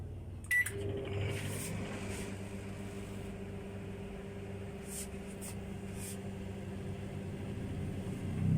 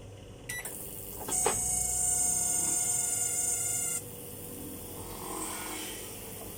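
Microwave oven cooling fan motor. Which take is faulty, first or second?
second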